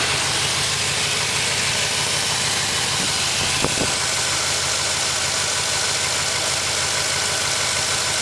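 Steady cold idle with a faint, fast light knocking under a hissy, even run; sounds like piston slap but it's only a guess. Cause suspected, not confirmed.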